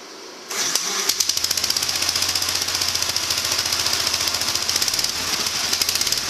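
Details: Gravely 1963 L fitted with a new muffler from a 400 series rider, with a rain cap, replacing the rusted-through old one. Starts right up and settles into a sharp, even single-cylinder beat with a crisp exhaust note, running healthy.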